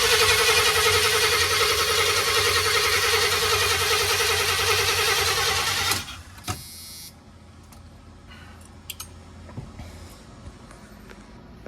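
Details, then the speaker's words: Chevy 4x4 van with a small-block TBI engine: about six seconds of fast, steady cranking that never catches. The fuel pump relay is not switching on, and a too-thin 10 A fuse is suspected. "we still got a fuel pump relay issue that for some reason the fuel pump relay is not kicking on"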